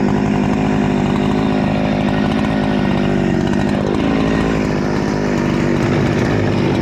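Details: Rebuilt Husqvarna 288XP chainsaw (new cylinder, piston, swapped crankcase), high-speed screw adjustment having no effect: screaming high steady pitch with slight uneven warble, running very lean, risking cylinder scoring.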